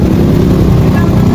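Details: Honda Bravo small single-cylinder engine (same type as Wave 100/XRM 110), reassembled after work on its noise, at sound check: steady even low thrum with no knocking or ticking on top; runs normally.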